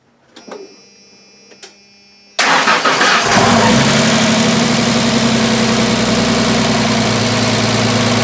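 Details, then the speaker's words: 1996 Ford F-150 4.9L straight-six, first start after rebuild with new lower intake manifold and valve train reinstalled: cranks, catches, idles with quick steady loud ticking from collapsed hydraulic lifters until oil pressure pumps them up. "uh you did hear a loud ticking that was from the lifter being collapsed the lifters got collapsed"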